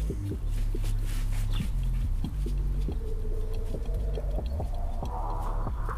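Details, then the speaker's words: BMW E46 front control arm bushing (soft rubber, OEM or OE replacement), driver's wheel rocked fore and aft: low rubbery groans and squishes with visible deflection. The bushing is worn and due for replacement with Condor Speed offset bushings. "You can hear the bushing making a squishing sound. then you obviously see all that side to side and front to back deflection in the bushing."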